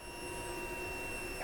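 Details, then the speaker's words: Royal Enfield Guerrilla 450 that runs very rough and has lost its TFT display, warranty work pending: short, quiet, steady high hum at key-on that stops after about 1.5 seconds. Fuel pump primes normally. "Yeah, you turn it on, you hear it all prime up the fuel pump. Yeah, there you go, primed up the fuel pump."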